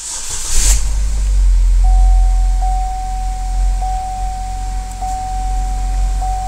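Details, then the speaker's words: GM 2.4 Ecotec with 103,000 miles whose timing chain had skipped three links without bending valves, started after retiming and topping up the oil: it catches at once and settles into a steady, even idle under a chime. "that thing fired right up that's incredible"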